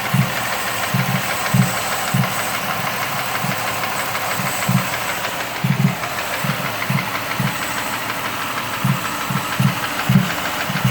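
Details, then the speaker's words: 2005 Mercury Mariner V6 at idle after a blown No. 1 spark plug and destroyed coil were replaced: dull regular knock, seemingly top end near No. 1, plus popping; engine knock at idle. "Don't know how well you can hear this popping over the loud knock that's over there now. Also, this knock sounds like it's coming from back here somewhere."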